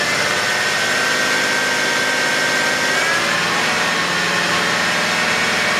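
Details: 2011 BMW X5 35d diesel at idle: thin, high-pitched whine running constantly over diesel clatter from a bad idler pulley.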